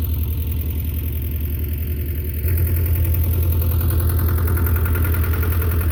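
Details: Belarus 250 tractor, 2-cylinder air-cooled diesel, sat for years, running again; during PTO and three-point test, steady low beat picking up slightly midway, no misses or knocks; normal running after repair.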